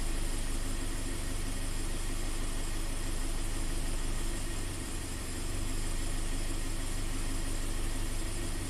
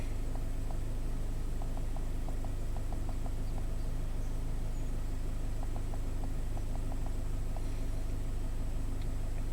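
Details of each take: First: Scion FR-S/Subaru BRZ with low power, stumble and code P000A intake cam bank 1 slow response, intake cam commanded via scanner, angle oscillating about 10–30 against 23 target: idle rougher with slow wobbling exhaust rhythm. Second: 2015 Scion FR-S (Subaru BRZ), 2.0 L direct-injected boxer, P000A intake cam slow performance; after replacing the oil control solenoids, an even low rumble with light steady ticking and no stumble. Normal idle, cams follow commands, no codes.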